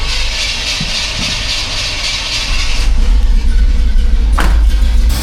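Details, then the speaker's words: 1985 Chevy C10, cammed, new Holley 4160 Street Warrior 600 CFM carb with electric choke and vacuum secondaries: on a cold start with the choke plate fully closed, heavy, slightly uneven idle running rich as white smoke builds. "It's running okay right now because the choke does need to be closed for a little bit just to get the engine running. Like I was saying, see now the white smoke is already starting. The engine wants more air, but the choke plate is still completely closed."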